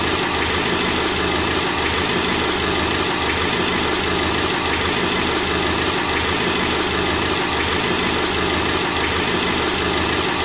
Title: The squeaking sound of a car engine when the engine is turned on